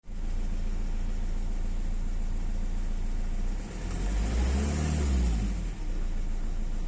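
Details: Renault Laguna 1.9 dCi diesel idling rough and uneven with a brief rev, plus a strange intake noise. The car is noisy when driving and shakes at idle when cold. Abnormal intake noise.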